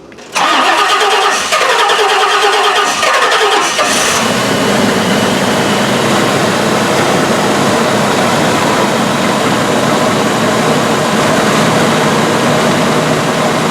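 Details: 1984 Rolls-Royce Corniche after fuel injector replacement: brief crank, catches quickly, then settles into a smooth, even fast idle with no misses or stumbles; running cleanly.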